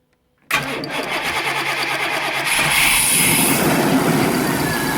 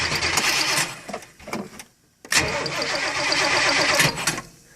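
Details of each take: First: 1990 Chevy 454 with TBI: cranks briefly, catches at once, idles steadily and revs cleanly; the original belts slip, and hydrocarbons are at 300 against a 200 smog limit. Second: 1990 Chevy 454 TBI in a Fleetwood Pace Arrow motorhome, cold start, battery weak: cranks, catches on starter fluid and dies, then runs unevenly only while the pedal is pumped. Hard start from fuel starvation.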